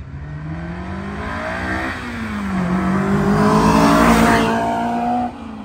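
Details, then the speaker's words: Silver 1999-era Honda S2000 with UK Mod exhaust and ceramic black refinished mufflers, drive-by on a side road: clean, smooth note climbing with revs, no drone, rasp or rattle; healthy exhaust, quiet on highway. "so nice sound no drone no drama no annoyance if you go down the highway it's still nice and quiet"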